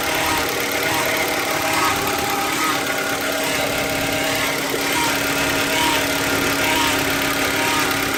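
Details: 2015 Hyundai Elantra engine at idle with a newly appeared extra noise: persistent mid-pitched hum with faint uneven ticking on top, source not located by the owner; unidentified engine noise.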